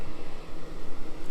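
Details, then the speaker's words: 2015 Ford F550 Super Duty 4x4 crane service truck, one-owner fleet-maintained, petrol V10, cool morning, just started with no glow-plug wait: low, steady rumble with a smooth, even beat and no knocks or ticks; healthy idle. "oh Matt Hood let's let him listen that motor boy these v10s they just don't give you any trouble look at that thing isn't that nice"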